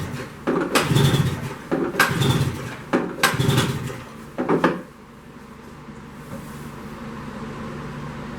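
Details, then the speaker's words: 1973 Skiroule RT 440 snowmobile, compression test on mag side: pull-start spins loose and free with no compression thump; zero compression, owner suspects blown head gasket. "Well, that's zero. Zero compression. That's not good."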